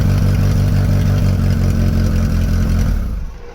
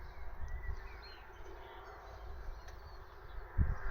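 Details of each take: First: Mk3 Vauxhall Astra 1.6 LS saloon, sat about 12 years unmoved since 2009, now starting on the button: runs with an even, steady beat about three seconds, then switched off and winds down cleanly; healthy. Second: Mk3 Astra 1.6 LS saloon, unmoved since 2009, ignition switch thought faulty: spark plug shows good spark, yet the starter spins steadily about three seconds without catching; owner suspects fuel supply, air drawn into the fuel lines.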